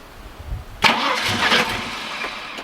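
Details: Holden VN SS Commodore 5.0L V8, long stored, car not level: starter churns, engine catches and fires raggedly but won't keep running; owner suspects it isn't picking up fuel because of tank angle.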